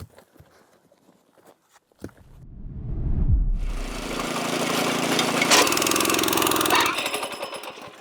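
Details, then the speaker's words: Small rented trencher digging an irrigation trench in rocky soil among big rocks: engine rises into a rough chattering clatter with hard grinding bursts, then labours and cuts out as the chain jams on rock. "soon as you hear it get jammed like that, just shut it off with that switch."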